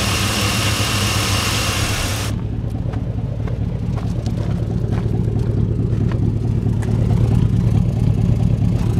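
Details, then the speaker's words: 2001 Chevy Silverado 1500 Z71 4x4, 5.3 Vortec V8, under 100,000 miles, fuel pump and sending unit replaced, good coolant temperature and charging: after a brief rush the idle settles to a steady, even low hum, no knocks or misses. "Oh yeah, it's running good. I'll let y'all listen to it for a second here."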